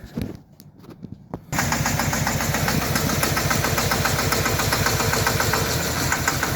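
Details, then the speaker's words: 2013 Chevy Silverado 4.3 with throttle body codes: after restarting and moving the wiring harness, the engine idles with an uneven stumbling pulse and dropped beats. Check engine and traction control warnings come on. Misfire from a shorted wiring harness. "The truck is acting up now. sounds like it's misfiring. Making the weird noise."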